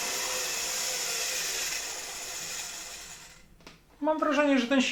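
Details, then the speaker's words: 1981 Soviet Rakieta 7M2 vacuum cleaner's MD-010 motor, cleaned and run on the bench. A steady, high-pitched, smooth whir with a faint hiss; it is unclear whether the hiss is the bearings or a spring, but it runs smoothly. "that this motor really runs quite smoothly. I don't know if I can hear the bearings here, or is it that spring that makes noise? But generally it works quite smoothly."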